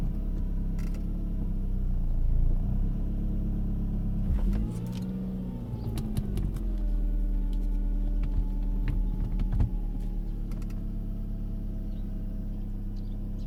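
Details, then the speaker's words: 2000 Saab 9-5 2.0t manual: loud engine whine at idle rising and falling in pitch with rpm, pointing to a belt-driven part; owner suspects power steering, not a clogged oil pickup, and plans to remove the serpentine belt. "because you can hear it changes with the rb rpm"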